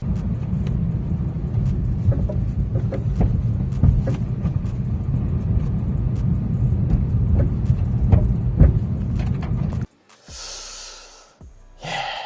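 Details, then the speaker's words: 2023 Subaru BRZ driving slowly after new coilovers installed; irregular hollow clunks, a few per second, from the rear suspension; install error or factory-defective coilovers suspected, not confirmed. "as I was leaving the garage I heard some like clunkiness and I thought it was coming from the suspension I thought oh no what is going on and I told Alicia to film a little bit of this as we were heading into the gym and it kind of sounded a little bit like this"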